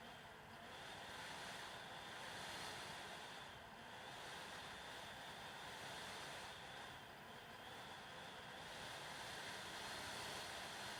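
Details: Dell WD19TB USB-C laptop dock, about two months old, computer mostly idle: internal fan randomly surging 0–100% like a leaf blower, with clicking electrical noises; silent when new.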